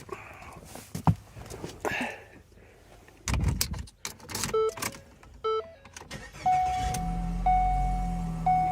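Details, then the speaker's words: 2014 Ford Escape SE 1.6 L EcoBoost turbo, no-crank no-start fixed with new starter motor: a few chimes, then the engine cranks, catches cleanly and settles into a steady, even low idle; confirmed fix. "there we go all right that is a confirmed fix well there you go that is the diagnosis of this no crank nose start it just needed a starter motor we put one in you saw it crank over good to go"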